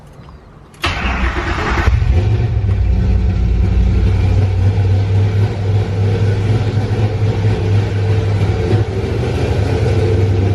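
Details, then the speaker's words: Classic Ford Mustang with a rebuilt, tuned Coyote 5.0 V8 swap and custom intake, in neutral with the fans off: cranks, catches cleanly and settles into a deep, steady idle with no knocks, misses or ticks. Normal start and idle. "Good, motor sounds good."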